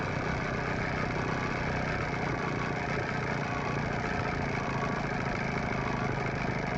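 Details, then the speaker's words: 9.9–15 hp Evinrude/Johnson outboard after fuel pump and carburetor rebuild, low-speed idle mixture screw being adjusted: steady idle turning slightly uneven and lumpy as the screw goes past its sweet spot; rough idle from misadjusted idle mixture. "it's starting to run a little rougher now so between this point and this point between this point and this point i'm going to find a middle ground"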